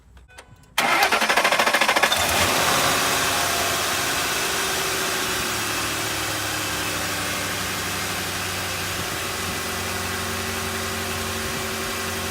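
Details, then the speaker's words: 2005 Ford F150 4.6L V8 after alternator replacement; fires up at once and idles smoothly with light belt whir, no knocks or squeals, lights on for the charging test; runs normally. "as you can hear now the engines on I've got the light beat the lights on and it's working"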